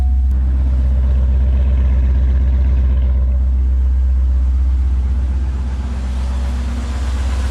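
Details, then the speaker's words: C5 Corvette LS1 V8 idling with a deep, steady thumping about four per second under the idle rumble, still being driven though already damaged; worn rod bearing suspected, owner plans to pull the oil pan and check bearings; rod knock. "touch in crank her over seven oh now you can definitely hear it sounds [ __ ] terrible"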